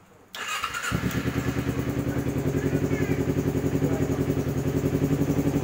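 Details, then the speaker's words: Kawasaki Ninja 250 carburetor model after replacing its weak original battery with a new one: starter catches quickly, then a steady, even low thump settles into a clean, healthy idle. "Si Merina sudah hidup lagi. Terima kasih. Begitulah untuk suaranya si Merina, akinya sudah mantap. Hidup, guys."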